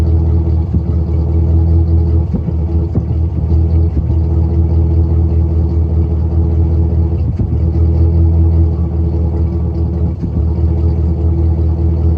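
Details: 1999 GMC Sierra 5.3 V8 exhaust note: steady low rumble with uneven beat and occasional stumbles; random misfire despite no smoke-test leaks and new plugs, wires, fuel filter, EGR valve and tubes, traced to a microscopically cracked spark plug.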